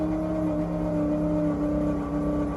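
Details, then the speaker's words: 1940 Ford coupe hot rod with all spark plugs removed, cranked on an old battery: an even starter whir as the engine spins over freely and smoothly, with no knocks. "Let's just see if it'll crank. There you go, it's turning over. Gonna suck the juice out of that old battery."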